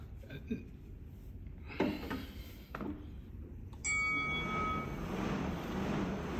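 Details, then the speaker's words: Bowflex Max Trainer M6 after removing the pedal arm wheel and flipping it 180 degrees: a few handling clicks, then a smooth steady fan whoosh with no creak on each step; pedal arm wheel creak gone. "you hear that so no noisy at all you know it looks like it's brand new"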